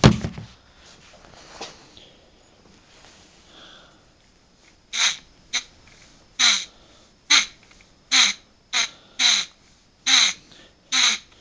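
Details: Removed front driver's-side wheel bearing from a Buick Riviera, rusty, spun by hand with sharp squawking chirps; on the car it made a loud hum at all times.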